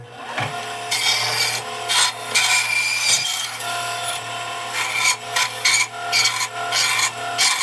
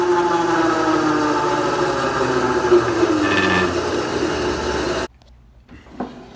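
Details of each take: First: Bandsaw after repair, wheel knocked back onto its bearing and running true, belt holding: steady motor hum under a rasping cut through old oak flooring, no slipping or bogging; saw works properly. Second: Bandsaw running with a loud rapid rattling whir, three to four beats a second, steady; owner suspects the worn drive belt is slipping on the drive shaft and plans to replace it.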